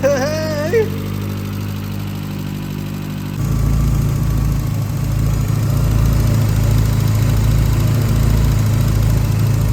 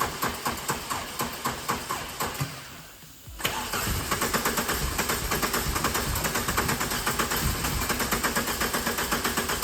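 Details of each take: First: 65k-mile VW Corrado G60 supercharged engine, first run: steady even low rumble firming into smooth rhythm; briefly tappy at first from a dry hydraulic tappet, then runs nicely without tapping. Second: 65k-mile VW Corrado G60, fuel return blocked off and a machine hooked up for the first start attempt: steady starter churn at about two beats a second, a pause, then more cranking without catching; extended cranking, no start yet.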